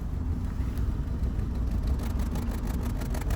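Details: Engine misfiring with no fault codes, long-term fuel trim +20%, one cylinder not working; rough uneven rumble with a light rapid tapping; the tapping nearly vanishes with the MAF unplugged; pistons touching valves suspected; cause unclear.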